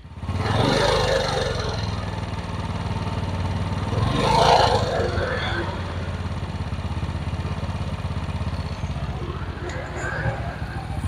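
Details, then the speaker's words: Yamaha Jupiter Z motorcycle engine, smoking and burning oil fast, piston replacement advised: rough idle with loud uneven clattering rattle that grows louder as throttle is opened; internal fault, exact cause unclear. "nah seperti itu suaranya suaranya itu pokoknya berderik sekali Berisik suara seperti itu ketika ditarik gas seperti ini"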